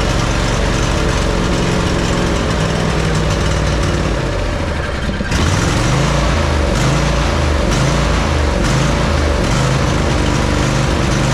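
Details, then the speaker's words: John Deere 145 riding mower, Briggs & Stratton V-twin OHV, ran low on oil and pops while running: loud, uneven lumpy firing, running rich regardless of carb adjustment, a common symptom of worn cam lobes from oil starvation. "you can hear the way it's running, and it's a common symptom of worn cam loes from from running low on oil. It'll never run right. you'll always run rich and you'll always get kind of that smell and burning no matter what the adjustment on the carb is or anything like that."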